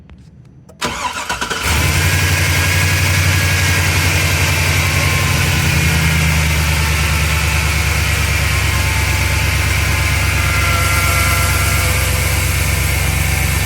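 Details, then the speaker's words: Chevy truck idling on first start test after replacing spark plugs to cure a misfire; cranks, catches and settles into an even, steady idle with no stumble, now running normally. "has it misfired yet I don't feel it uh it's normal"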